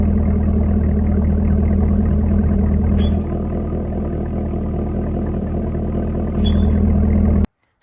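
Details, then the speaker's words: Car idling, camera underneath while switching exhaust modes: loud chirp as exhaust note steps quieter then louder, from exhaust valve actuator; not brakes (already replaced); fix was greasing the actuator. "I'm sure you guys can hear that chirping noise it's a lot louder in person than uh hearing it in the video"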